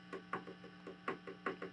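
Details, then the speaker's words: Fender Twin Reverb '68 Custom reissue, tapping a new JJ preamp tube: short dull knocks dying away over faint mains hum, barely ringing; tube essentially not microphonic. "That one, one of the new tubes also pretty good. This one's just barely ringing. And now, if I tap around, it's basically nothing from the front."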